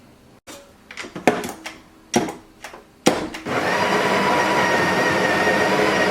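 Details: Home espresso machine brewing a shot: a few sharp clatters, then a steady buzzing drone with a high whine as the pump runs; owner notes the machine is making weird noises, cause unknown.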